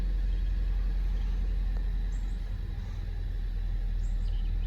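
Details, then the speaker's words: Honda Civic 1.5 turbo, 122k miles, in limp mode with many dash warnings: deep low idle with uneven lumpy beat three or four times a second and hood shaking; misfire, dealer later replaced coil number two. "so it's got a misfire you can see the hood shaking"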